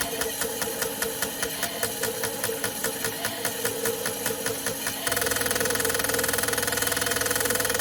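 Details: Chevrolet LS1 V8 injectors from a V8-swapped Mazda MX-5 NC with a misfire, on a bench flow test at 4 bar fuel pressure, automatic test: rapid, even ticking pulses switching to a steady faster buzz, no skips; normal injector flow.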